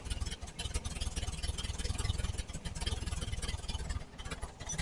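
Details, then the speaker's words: 1968 VW Type 3 Squareback with original Bosch fuel injection, starting at super low idle: uneven, lumpy idle at about four pulses a second, throttle doing nothing, occasional intake backfire; massive vacuum leak suspected. "Intake backfire. Timing? I mean, this throttle's doing nothing. It's at least idling, but weird. Yeah, vacuum leak?"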